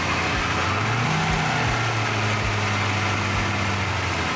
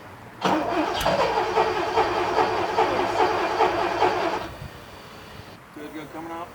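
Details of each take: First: 1979 Porsche 928 V8 running again, still warming up: steady, even idle with a low, smooth beat and no knocks, ticks or stumbles; normal idle. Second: 1979 Porsche 928 V8 after sitting about three months: four seconds of steady starter churning, about two beats a second, without firing; it needed 10–12 key turns over 5–10 minutes to start, with injector squeal heard.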